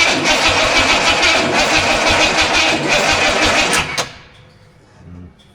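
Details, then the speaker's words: Studebaker engine first start attempt, battery scavenged from a scrap car and poorly charged: starter grinds round at roughly three turns a second for four seconds then stops; sluggish cranking from weak battery. "As per usual, my battery's not great. I tried charging it, but it is a battery that I found out of one of the kids' scrap cars, so there's a, you know, these usually work fine."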